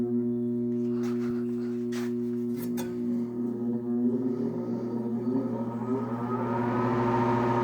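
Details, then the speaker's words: 1966 Admiral Royal 106 air conditioner on fan only: a steady hum with no spin-up, then a rising whine as it turns. It hums with or without the capacitor but self-starts with the capacitor jumper; owner suspects overheating damage. Motor hums but won't start. "the humming? It does that with or without the capacitor hooked up. The only difference is when I put that jumper in for the capacitor, it starts up on its own."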